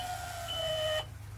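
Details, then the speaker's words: Volvo Penta boat, key on, priming a newly installed refurbished fuel pump, one of 5–10 cycles: electric pump whine dips slightly in pitch as gasoline is drawn up, then cuts off. Normal priming. "yep you can hear the sound change"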